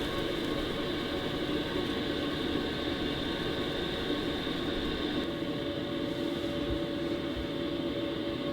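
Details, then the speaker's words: BougeRV diesel heater in a DIY travel trailer running on its low 1.4 kW setting: a steady, even hum and duct airflow with no ticking or surging, much quieter than on high (5 kW). "Not sure if you can tell the difference, but it has gotten a lot quieter since it's gone down to 1.4 kW."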